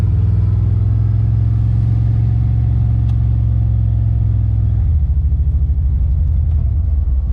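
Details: Car on its first test drive: a low rumble with an uneven, stumbling beat and dropouts in the firing rhythm under load. It is skipping, a returning misfire the owner suspects is the plug wire.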